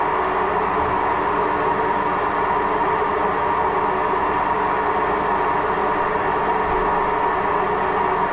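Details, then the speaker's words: Washing machine during spin: loud, constant, heavy roar with a gritty rumble and no cycling; failed drum bearing. "Also eine Waschmaschine mit Lagerschaden. So hört die sich an, eine Waschmaschine mit Lagerschaden."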